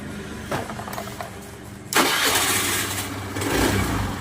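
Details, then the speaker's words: Honda Beat FI scooter after fixing a total electrical failure caused by a broken wire to the ignition switch, reconnected with no parts replaced: a short crank, then a clean catch and an even, steady idle. A healthy start. "Oke kita starter lagi Oke jadi motor ini mok dikarenakan kabel yang arah ke kontak putus ya Disambung sudah Kembali jadi tidak ada sparep yang diganti"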